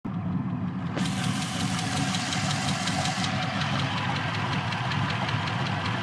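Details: LS1 with PRC 2.5 LS6 heads and 228R cam, after the swap: a quick, steady tick over the low V8 rumble, only once up to temperature at hot idle, from the driver side rear and louder underneath; owner suspects lifter or exhaust leak.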